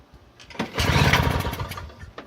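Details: Free Toro CCR 2000 snowblower, possibly from the 1990s, 2-stroke 4.5hp Suzuki engine, Mikuni carb, 50:1 oil-fuel mix, primed with choke out: weak sputters and puffs, builds briefly then dies; cranks but won't start, some smoke so spark likely; cause unconfirmed, fuel vent valve suspected.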